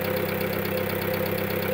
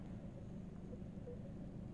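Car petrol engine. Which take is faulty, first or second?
first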